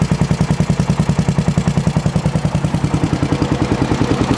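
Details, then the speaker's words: Used 400cc four-wheel-drive ATV just started, no steam and not seeming to burn oil: even idle around three and a half beats a second with a light clicky tick; mild engine ticking, cause unclear. "It's a little clicky, but not that bad."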